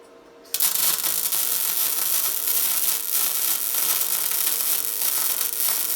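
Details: Tesla MIG 260 MIG welder welding 3 mm metal, correctly set for that metal: steady, even frying crackle like bacon, with no pops or stutters; wire feed and voltage well matched.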